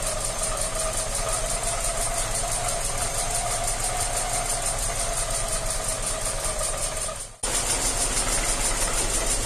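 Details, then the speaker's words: Tavria manual gearbox, front jacked up, wheels turning about 45 km/h: no noise in gears one to four, but a steady mid-pitched whine appears only in fifth gear, measured about 80–83 dB; before gearbox oil additive treatment. "включая все передачи по очереди с первой по четвертую слышно что воин нет а вот включив пятую этот противный вой появляется"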